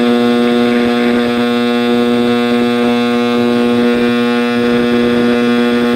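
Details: 1960s General Electric black-and-white TV, back off, warming up after rewiring: a loud, steady low hum with a buzzy howl, unchanging; owner suspects an internal capacitor, unconfirmed.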